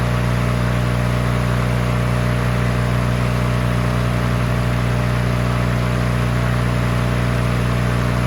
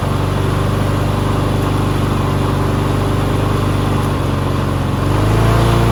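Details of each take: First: Free push mower that sat 6 years with water in the engine, after an oil change with its throttle rigged down and before the head gasket replacement: a smooth, constant drone with no misfires, surging or knocking, then a clean shut-off. It runs normally. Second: Push mower that sat six years with water in the engine, running on bad oil: single-cylinder engine at a steady beat, then revs swell near the end; loose throttle lets the speed wander, surging.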